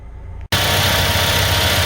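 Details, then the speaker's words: Tow truck after replacing the crankshaft sensor for code P0335 no-start, battery had been disconnected; idle rough at first, then settles into a steady, even idle with no stumble or miss, running smoothly. "we've got our new crankshaft sensor truck is running good idling great we are back in business boys and girls"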